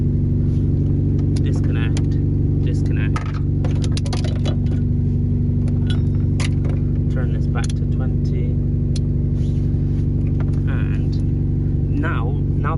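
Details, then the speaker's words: Mazda MX5 Miata Mk2 with flat battery started on jump pack: steady low rumble, even firing pulses at idle with clicking and handling noise; starts perfectly, engine idling normally, alternator later reads 14.9 V. "and then we'll just turn the key it starts perfectly fine"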